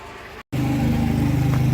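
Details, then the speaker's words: Water pump on a homestead's new 3/4-inch PEX water line runs with a steady low hum and fast rough, strained pulsing, cycling on more than expected; owner notes a small leak at a fitting, cause unclear. "Okay, it doesn't sound really good out here, so I don't know."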